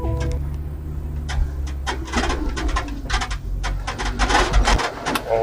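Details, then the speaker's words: UAZ Patriot automatic, driving over bumps: sharp, irregular squeaks and creaks over low road rumble from the rear door in the boot area, caused by the door's thrust bearing rubbing and dark shavings squeaking. "хороший звук, слышно хорошо. Такой противный, мерзкий, преследующий нас на каждой кочечке."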